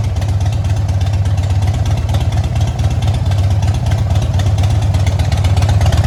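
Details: 2006 Harley-Davidson Dyna Wide Glide, low mileage, in a shop for repair. Loud, lumpy V-twin beat with uneven gaps and stumbles in the firing rhythm, a cylinder dropping out: intermittent misfire.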